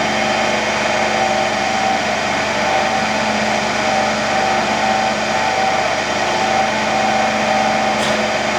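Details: Motor-generator (AC–DC) trainer set, AC motor going from star to delta, DC shunt generator giving residual voltage with field winding not yet connected: steady even hum, constant mid-pitched whine, no knocks or wavering.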